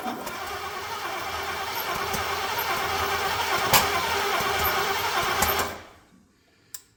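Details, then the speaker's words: C30 truck engine on its first start attempt, using ignition parts taken from another truck. Uneven cranking with sharp pops coughing back through the intake about every second, then it dies; ignition timing is 180° out, and the distributor was then spun. "oh we're coming back through the take a little bit I hope we're not 180 out we might be we'll know here in a second"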